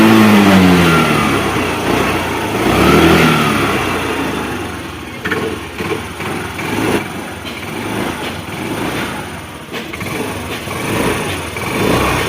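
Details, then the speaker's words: Hero Pleasure scooter after inlet and exhaust tappets adjusted for engine noise: fires, revs and settles smoothly with an even beat and no top-end ticking; sounds healthy after repair. "क्या आप देख सकते हैं हमारे scooty में बहुत ही अच्छी आवाज़ आ रही है।"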